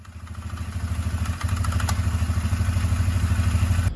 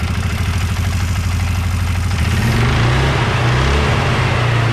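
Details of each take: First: 2004 Can-Am Outlander 330 2x4 with 4,000 miles, belt cover off, engine revved: primary clutch sticks moving in and out, giving a few sharp clicks; sticking CVT primary clutch. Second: 2004 Can-Am Outlander 330 2x4, 4,000 miles, after replacing worn primary clutch levers, rollers and pins: revs briefly then settles to steady low idle with no hang-up; clutch no longer sticks off throttle, grinding fixed.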